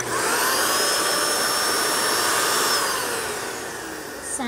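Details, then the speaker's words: Dyson vacuum after fixing its screaming noise by realigning and refitting the parts: smooth, steady motor whine at one even pitch with no screech, then winding down at switch-off; running like new. "as good as new and like i said we were literally ready to throw this thing away"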